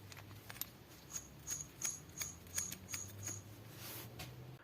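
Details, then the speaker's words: Chrysler Sebring/Cirrus/Stratus 2.5 V6 6G73 SOHC engine teardown, timing belt idler pulley spun by hand: a faint dry ticking rasp about three per second, suggesting initial bearing wear. "Проверка обводного ролика ремня ГРМ. Судя по звуку, начальный износ уже присутствует."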